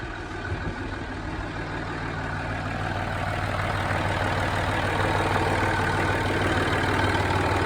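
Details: Land Rover Discovery 3 TDV6 diesel, cold start and idle: fast, even light ticking clatter riding over the rumble, growing slightly as it warms; source of the tick unknown; engine ticking at cold idle.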